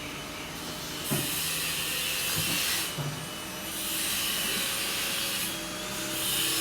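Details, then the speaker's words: Electric hydraulic pump on a newly assembled 6.30 m boat with a 90 hp inboard engine and Z-drive (sterndrive), tilting the Z-leg up and down during launch test; steady whirring bursts that stop and start cleanly, no grinding, normal hydraulic pump operation. "ស្នប់អគ្គិសនីចាក់ប្រេងចូលក្នុងដើមឈើ ហើយរុញ វាឡើងលើចុះក្រោម"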